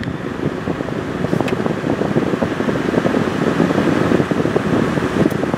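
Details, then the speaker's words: Honda truck at about 990,000 miles, A/C had been blowing hot with no compressor engagement; after swapping a failed A/C relay the compressor kicks on, steady blower rush with smooth engine underneath, vent temperature dropping toward 55°F; normal A/C operation. "AC compressor has kicked on before it was not kicking on"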